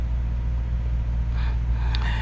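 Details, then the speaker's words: 2013 Subaru Forester SJ, FB16 naturally aspirated engine, after a crank-no-start with normal compression; the cylinders had simply flooded with excess fuel. Once that cleared it idles deep, even and smooth, tach steady, no misses, knocks or surging. "it's nice and smooth look at the tack smooth as glass"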